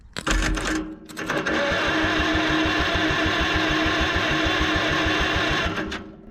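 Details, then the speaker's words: 1945 Farmall H tractor, long sat, cranked while checking for spark with a screwdriver grounded at the magneto: even cranking, about three turns a second, never fires. No spark. "I hear clicking like it might be might be trying but I don't see anything nothing"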